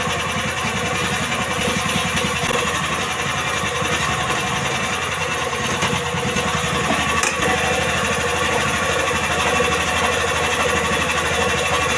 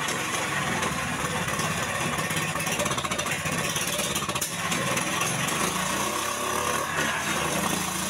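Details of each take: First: Indo Jarwo Crown rice transplanter small single-cylinder engine after carburetor adjustment for hard starting: runs fast and even, steady rapid beat with no misses; healthy running. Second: Indo Jarwo Crown rice transplanter small petrol engine after carburetor work: uneven, stumbling beat from an over-rich carburetor mixture; the engine was hard to start.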